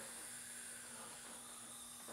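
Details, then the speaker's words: Honda CB500/550/650 top end, engine stopped, cylinder two at top dead centre under leak-down test: air pressure falls from 22 to 12, about 45% leakage, and a faint steady hiss is heard at the exhaust; exhaust valve leak. "See, I put my finger in the exhaust and you can just hear it. So we have an exhaust valve leak."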